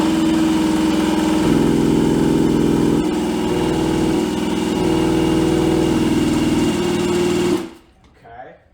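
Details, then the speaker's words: 1986 Suzuki LT250R two-stroke ATV, sat for years, cranked over with a drill after repairing broken pickup-coil wires: steady fast whirr for seven seconds, never catches; spark plug dry, fuel starvation, carburetor floats suspected. "Okay, we're definitely starving for fuel because I pulled the spark plug before and it's literally dry. So, I know we're not getting any fuel into the cylinder."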